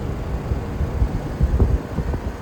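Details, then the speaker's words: 2025 Rheem 3-ton outdoor condenser unit: even low hum and rumble with some wind over the mic, running steadily with no rattle or screech; working good, healthy. "It's from 2025 and it's a 3-ton. It's working good."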